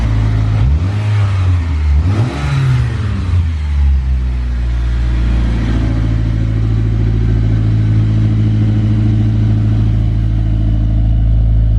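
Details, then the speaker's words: Rebuilt turbo Mitsubishi Eclipse at 400+ miles, after new coil packs and a fix to the cracked blow-off valve vacuum line: quick revs then an even idle with no misfire, faint turbo spool through the exhaust; idle still high at 1500 RPM. "Well, I don't know if the camera's gonna pick it up, but you can definitely hear the turbo spooling a little bit through the exhaust."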